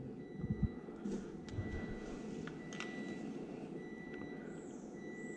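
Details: Triumph Rocket III, idle speed control valve reset via TuneECU after setting TPS to 0.72 V: faint steady high buzz with a few soft clicks; normal ISCV reset cycle.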